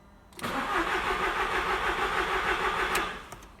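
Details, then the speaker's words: Audi TT Mk1, no fuel pump prime heard at ignition on: about 2.5 s of even cranking at roughly three beats per second that never catches; the fuel pump had failed, though its 20 A fuse No. 28 was intact. "किसी कारण से ignition चालू करें, हमने ईंधन pump priming नहीं सुनी, ठीक है, बस कार को घुमाएं और देखें कि क्या होता"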